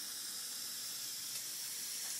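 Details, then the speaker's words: 2001 Jeep Cherokee Sport 4.0, idling after a 1.5-mile drive, temperature gauge jumping from about 200 into the red: steady soft hiss of steam with no engine beat beneath it; coolant venting, later found to be a failed head gasket, fixed by replacing it. "all right so here we are we're steaming again I don't know where the sources of the"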